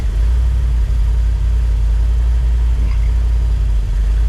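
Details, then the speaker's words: 1973 Dodge W200 truck, reportedly new engine, warming up after new gas tank, oil gauge reading 100 psi or more (possibly dummy gauge); deep steady low rumble, even beat, no knocks or misses; normal warm-up idle. "trying to build up a little bit of heat in it"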